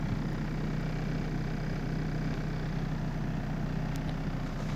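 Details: Mitsubishi E-Car with 1.5L 4G15 engine and automatic transmission, after a vacuum conversion fix for idle dropping with A/C on or in gear: smooth, even idle with a steady low hum, no stumble or hunting; normal idle.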